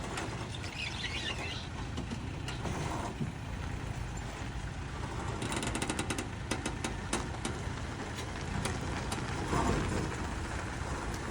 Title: Tacoma creaking/ popping noise